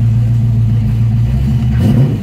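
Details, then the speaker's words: 1965 Mustang fastback restomod V8 with electronic fuel pump and 5-speed, started cold and warmed up, idle rising from about 600–750 to about 900 rpm; a short throttle blip gives a deep, even rumble that picks up cleanly with no knocks or misses; healthy. "what see it's got a pretty good pretty good tone to it it definitely uh can get up"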